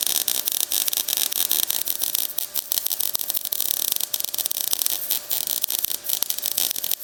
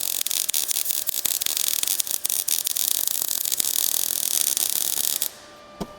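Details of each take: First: MIG welding thick steel on a drop-down running board support of a 1956 International COE rat rod, set hot and fast: harsh, sputtering crackle with irregular snaps from a joint gap, softening as the gap fills. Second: MIG welding a bead across a gap onto a drop-down support on thick metal for 1956 International COE truck running boards: steady frying hiss, softer and less crackly due to the gap, even for about five seconds; smooth weld.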